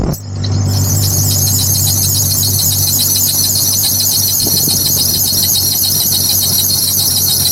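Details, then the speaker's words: 1994 Jeep Cherokee auction car at idle: loud, steady high belt squeal throughout; alternator appears seized, belt slipping, fan not turning when cranked. "that alternator ain't turning for nothing at all I was wondering cuz whenever you crank it over the fan wasn't turning it any bit uh cuz it was slipping on the water pump it seemed like but that alternator is completely seized or something cuz that thing is not running"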